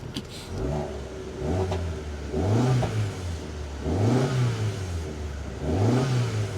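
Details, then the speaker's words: Auction car with a MultiAir turbo engine, no clutch action and smoking when the clutch is released: three clean throttle blips with revs rising and falling smoothly and no knock or miss. The engine itself sounds healthy. "part sounds good yeah the engine sounds good"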